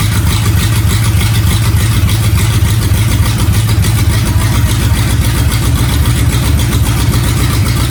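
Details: Freshly rebuilt Ford flathead V8, first start: fast busy idle with deep even pulses, firing on every cylinder, before running itself dry. Normal running.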